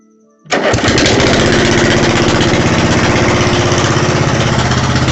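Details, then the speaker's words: Ford LT80 PTO riding mower after its destroyed engine was replaced with an 8 hp engine from a Roper tractor, first start: catches at once and settles into a quick, even single-cylinder beat of about four per second with no knocks; runs healthy. "New engine is inside the Ford. This is going to be its new home. Ford is an old Lt80 PTO. And I'm going to start it up for you guys."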